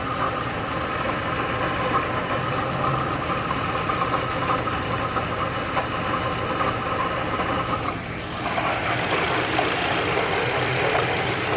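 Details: Mitsubishi Lancer 10 at idle, heard from the spot where it is louder: a fast, light rattling knock of about three a second. It sounds like the timing chain, but visual inspection found the water pump.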